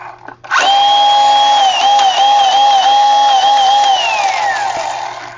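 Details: Razor E90 electric scooter with no-run fault, after reinstalling motor and plugging throttle into control box: motor spins up to clean steady whine, holds speed with slight wobbles, coasts down smoothly; running fine.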